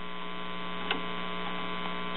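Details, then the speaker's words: Circa-1941 Aircastle five-tube series-string AM radio chassis from a radio-phonograph, under repair: a steady low mains-type hum with a buzzy edge comes through the speaker. "however with it connected in its current shape it will keep the radio from playing hearing a buzz and the speaker"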